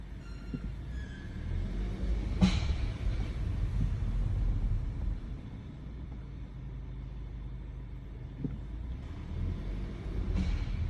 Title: Audi A3 strange noise coming from the engine/transmission